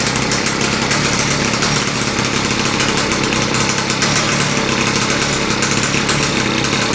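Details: Victa small single-cylinder engine being modified for kart use, start-up after fueling: loud raspy fast buzz held steady at high speed, no throttle changes; running cleanly, just very noisy.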